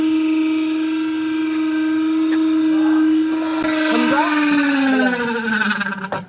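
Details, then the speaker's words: Super Asia spin dryer before repair: loud steady squeal while drum spins, pitch slides down as it coasts to stop; dry seal above the motor. Dry seal bush squeal. "Dryer machine की जहां motor लगी होगी उसके ऊपर एक seal लगी होती है जो पानी नीचे ना आने दे। उस जगह पर हम थोड़ी सी ग्रीस लगाएंगे।"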